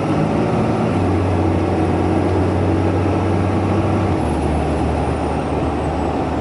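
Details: 2012 Ram 2500 Cummins diesel pickup pulling a steep hill at about 45°F while warming up: heavy, steady diesel drone with a faint thin turbo whistle climbing above it. The turbo is spooling normally with nothing rough.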